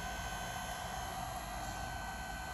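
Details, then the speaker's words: GE dishwasher GDF530PGM0WW wash cycle: soft, even hum from the wash pump with no rattles or grinding; wash pump is smooth and healthy. "this wash pump is nice and smooth sometimes you do get some debris in them and you need to open them up"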